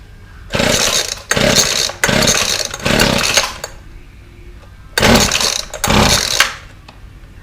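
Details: Weed Eater FeatherLite Plus FL 26 two-stroke trimmer on fresh 40:1 fuel, old carburetor before replacement, fires in uneven surging bursts instead of steady revs; rough running.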